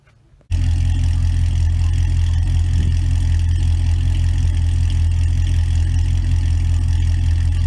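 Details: 2006 Pontiac GTO V8 started after a radiator leak, found by pressure test, was believed fixed with a simple clamp, then left to warm up: fires up into a steady, even low rumble, no knocks or misses; normal idle.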